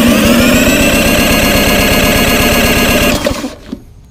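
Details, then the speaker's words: Free Murray 22117X92A push mower, 3.8 hp Tecumseh LEV100 engine, spark plug out, compression tester fitted, spun by drill: rapid even chuffing; good cranking compression, 120. "120 not terrible actually very good"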